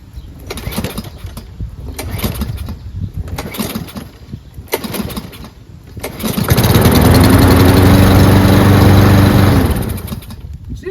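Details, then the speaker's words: Cub Cadet mower, probably an MTD Powermore engine, starting hard: pull-start clatter, then it catches, runs roughly a few seconds and cuts out. The owner suspects the recoil rope is too short to spin the flywheel fast enough for good spark. "I think it's because the rope is too short that you can't get a good pull to make proper revolutions to have the flywheel spin fast enough to generate enough spark."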